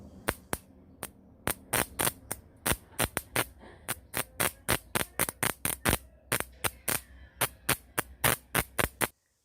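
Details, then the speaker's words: Microwave-oven transformer used as a homemade pyrograph power supply: low mains hum under load with sharp crackling snaps about three times a second and vibration; suspected current accumulating in the transformer casing, overheating it. "ta dessa vibração esse barulho tá fazendo e não vai aguentar ficar ligado em tempo vai tentar porque não está dissipando o a corrente né"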